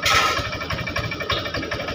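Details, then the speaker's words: Honda Vario 125 FI scooter, hard to start, MIL lit, heavy when throttled: rough idle with irregular thumps and stumbles, severe sputtering misfire. "dia keadaan dalam brebet Parah jadi seperti ini"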